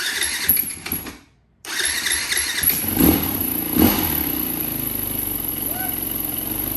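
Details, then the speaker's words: 2004 Yamaha WR450 after sitting, new battery, electric start with brake clean: cranking with loud pops a second apart, then struggles into rough uneven running; hard start, owner suspects gummed carburetor. "Let's try the brake clean here. It sounded like it wanted to pop off. No way."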